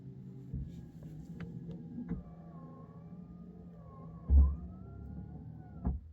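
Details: Mercedes E300 W124 abandoned 9 years, power antenna retracting when the non-working radio is switched off: quiet electric motor whir with thin slowly rising whine for a few seconds; normal power antenna retraction.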